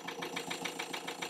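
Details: Ford Transit Custom diesel idling after repair of a fuel pump circuit fuse connection fault that caused repeated breakdowns, fuel pump voltage now constant: a steady idle with an even clatter of about seven pulses a second and no misses, running cleanly.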